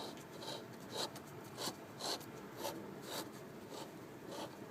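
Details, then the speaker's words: Homemade motor with brushes, only four winds per phase and little power; uneven raspy scrape about once a second as brushes drag on the commutator despite oiling and greasing; rough brush scraping, owner plans to change to small carbon brushes. "that's the brushes um I don't know what's happened but uh I've oiled them I've put grease on them and everything but they're Pro they're fairly rough they're it's like they're buring on each other or something like that"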